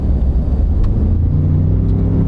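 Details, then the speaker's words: Used four-wheel-drive pickup with a later-model twin-turbo V6, accelerating hard to pass: a deep, even engine rumble builds steadily with no knocks, whine or vibration. Powerful and smooth; normal acceleration. "Hey, this engine's got a lot of power. There's no arguing that. It is a V6, but they've got them well down pat."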